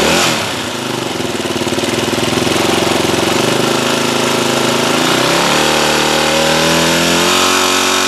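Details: Yamaha WR250R single, 26,000 km, rattle developed after the bike was swamped in water (air box not drained, several oil changes), starting to use oil: metallic top-end rattle over idle after start; cause suspected, top end being torn down.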